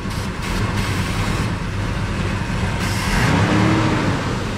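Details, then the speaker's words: 2003 Ford Ranger 3.0 V6 with a P0443 EVAP purge valve code: carb cleaner sprayed into the intake makes the rough idle swell and rise for about a second, the expected test response; no vacuum leak was found on the hoses or PCV. "the first thing i'm going to do is i'm going to spray some of it in there and you can hear it rev up"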